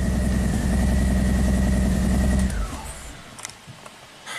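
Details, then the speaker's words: Engine-swapped 2005 Audi A4 with heavily modified wiring harness, crank no-start fixed by restoring a missing power feed via bypass; engine runs with a steady even rumble and constant whine, then shuts off cleanly, starts and runs normally. "Starts and runs."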